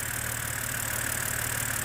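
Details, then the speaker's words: BMW E89 Z4 3.0 N52 straight-six (40,000 miles) warm idle after a stuck timing chain tensioner was replaced; no leak at the tensioner. Smooth, even steady low hum with no knocks, ticks or misses; healthy. "oh that's a lovely engine I do like"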